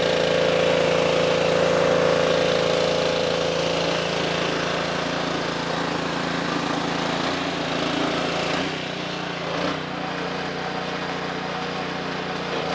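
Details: Simpson 2.4 gallon petrol pressure washer after replacing the pump for lost pressure (unloader repair failed): small engine runs a steady even throb about four beats a second with the pump note settling; working normally.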